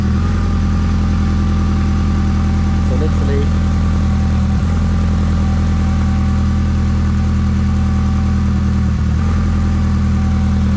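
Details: Rotary engine (180T), wired up and running on a stand after fuel pump and start. Steady, even low drone with no knocks or misses, running cleanly and healthy.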